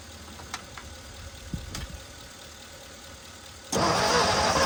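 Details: 1961 Mercury Meteor, 37,000 miles, parked 43 years, used spark plugs, fuel poured into carburetor: quiet cranking with scattered pops, then catches loud and rough, spitting back through the carburetor; owner suspects a valve not closing.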